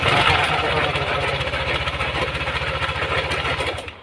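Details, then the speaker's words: First-generation Yamaha Aerox 155 scooter at idle on start-up, owner complains of knocking: coarse, uneven rattle on the firing beat, about four per second; rough engine noise, cause unclear, CVT area to be checked first. "Yo ini mengeluhkan ada suara kottek-kottek pada sepeda motor ini Mas ketika dihidupkan"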